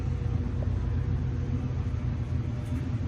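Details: Samsung dryer with no error code, after repair and reassembly: low steady drum rumble with even tumble, no scraping, squeal or knocking; dryer running normally, problem solved.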